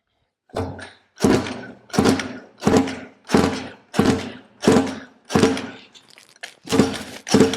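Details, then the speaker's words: Roughly 20-year-old 50cc two-stroke mini moto engine on a pull cord: about ten strokes, each a dull whir dying away, never firing; spark plug dry, no fuel, owner suspects a stuck carb float, and the carb was later found full of oil. "right the SP plug's still dry so it's not getting any fuel um the float could be stuck in the carb have a look"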